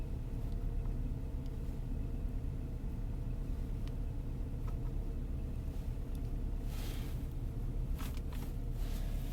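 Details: 2003 Saab 9-5 with newly installed B235R turbo four-cylinder, first winter cold start: low even rumble with no misses, knocks or hunting, steady cold idle; idle slightly fast, owner thinks because cold; runs good.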